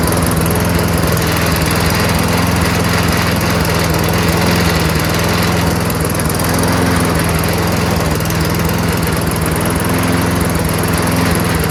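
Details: Toro Recycler 22-inch self-propelled mower, Tecumseh single-cylinder engine with freshly cleaned carburetor, running on its own: steady even putter but speed a bit low; raise RPM by bending governor spring bar outward.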